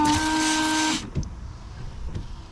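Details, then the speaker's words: Range Rover Sport L320 windscreen washer pump after clearing blocked jets with compressed air: steady electric whine about a second, then stops cleanly with faint drips and clicks; both nozzles now working. "Right, two nozzles now working."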